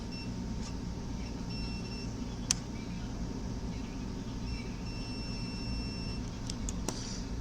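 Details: Samsung PN58B550T2F plasma TV power board, which turns on then off after a loud pop: during diode checks two steady meter beeps of about two seconds each over a low hum show a short still present.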